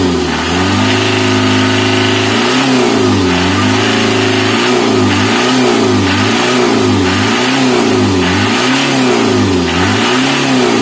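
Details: Mitsubishi L300 diesel being repaired for stinging white exhaust smoke, now with clean exhaust. The engine is blipped repeatedly in even, smooth, crisp sweeps with no misfire or stumble: normal revving.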